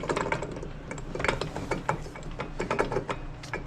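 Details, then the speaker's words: Three-wheeler hub spun by hand after removing the drum: rough, irregular clicking and grating each turn instead of a smooth spin; the wheel bearing has failed, which explains why the vehicle was shaking so much. "Donc, ça, c'est le drum. Qui. T'en as pas besoin de dire rien. Ah, c'est ce bearing là qui est sauté."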